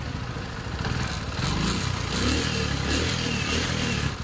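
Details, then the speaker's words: TVS XL100 BS6 after replacing the head, camshaft and ECM, with the fault cleared. The small single revs up cleanly and pulls without stumble or misfire over some clatter. Pickup is stronger than before; the engine runs healthy. "Pickup பார்த்தீங்கன்னா head game shaft நம்ம செட்டாக மாற்றினதுக்கும் இந்த ECM மாற்றினதுக்கும் pickup பார்த்தீங்கன்னா முன்னை விட நல்ல பவராகவே இருக்குது friends வண்டி."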